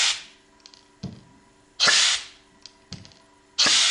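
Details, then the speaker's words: Model showman's engine boiler check valve tested with an airline after reseating the ball: sharp clacks as the ball slams onto its seat, with hiss bursts from the air pipe not sealing on the inlet. "Check valves are also known as clack valves because of the noise the ball makes as it suddenly slams onto the seat inside the valve."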